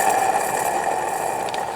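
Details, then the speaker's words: Ford Escape AC compressor pulley spun by hand with the belt off: thin steady rushing hum as it spins down, rough bearing noise; worn compressor pulley bearing with side play felt. "And you can hear, just from spinning this, how noisy it really is. And probably, well, I guess it's harder to see. You might be able to see that it moves a little bit. I can feel, shaking it sideways like this, I can feel in the pulley that there's some play."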